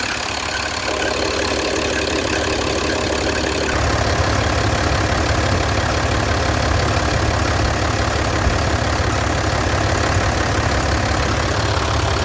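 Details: Mercedes-Benz 1620 truck with an electronic OM906 diesel at idle: a rough, rapid rubbing chatter about four times a second that sounds like a bearing but is the drive belt.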